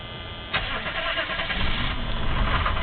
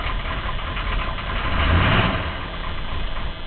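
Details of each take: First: 1983 Chevy Suburban 6.2 diesel, unstarted for a couple days, glow plugs preheated via dash button: short crank, then catches and settles into an even, rough-edged clatter without stumbling; normal start after building fuel pressure. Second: 1983 Chevy Suburban Silverado with 6.2 diesel, started by dash glow-plug button after sitting a couple days: cranks and catches, then runs rough with a stumbling, ragged beat while building fuel pressure before settling; owner suspects fuel pressure, not confirmed.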